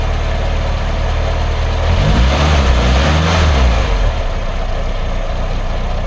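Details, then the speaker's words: Triumph Herald Estate, first start after refitting the exhaust and inlet manifolds and carb: uneven, lumpy idle that swells on a quick throttle blip and sags back unsteadily. It revs up well but chokes itself up off throttle, and the owner suspects over-fueling. "Because the engine revs up well, which makes me think it's over fueling, because when you're revving, obviously you're using your fuel. That's it. And it's alright. But when you let off, then it just chokes itself up"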